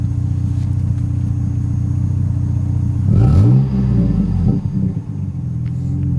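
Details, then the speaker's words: Jeep Cherokee 3.7 V6 with aftermarket exhaust: steady low idle then a quick rev blip that rises and settles, deep even extra V6 burble; healthy rev. "i like that little bit extra v6 burble that's so good"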